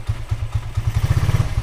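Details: Minerva R150 VX 2010 single-cylinder idling after PE 28 carburetor float adjustment that fixed hard starting: steady low thump roughly eight to nine beats a second, no hesitation; running properly.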